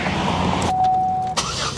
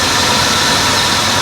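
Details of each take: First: Buick LeSabre after fixing a misfire by replacing the ignition coil module with a used one: starter cranks in a quick even chatter, catches and settles into a smooth, steady idle; healthy start. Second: Buick LeSabre with a misfire, idling while each coil is touched in turn: dense, harsh idle turns choppy and stumbles when a good cylinder's coil is disturbed; one coil changes nothing, suspected bad coil or module underneath.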